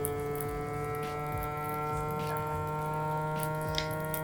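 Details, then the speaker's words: Campfire 12V/240V vacuum sealer on an automatic vacuum-and-seal cycle: steady buzzing pump hum at an even pitch, getting louder as pressure builds, no rattle or surging, until the red light shows it sealing; normal operation. "the machine's getting louder. It's obviously under quite a lot of pressure there, and now we can see that it's sealing because this external light has turned red."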